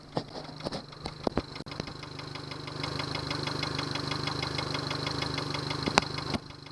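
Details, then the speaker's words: Yamaha 70 hp outboard idling with a regular light knock about three times a second; fuel starvation at idle caused by a Honda fuel connector used instead of the Yamaha one; no alarm. "There's some knocking sound. I don't like that. Some knocking sound. Remote control, there's no alarm. Well, there's some knocking sound that you can hear."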